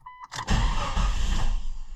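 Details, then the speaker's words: 2000 Jeep Cherokee 4.0L with buzzing ASD relay at key-on: a short tone, then the engine catches with a burst of rumble and quickly stalls; hard start unless throttle is given immediately; relay fault suspected. "It's a hard start condition as well."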